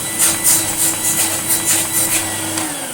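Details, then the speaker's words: Electrolux Lite Deluxe Z1810 vacuum after refurbishment, original motor bearings regreased: steady high motor whine with quick regular bag-fill-indicator snapping, about three or four a second, then the motor note sags; normal running, indicator working. "can hear it snapping away and it's really quite good."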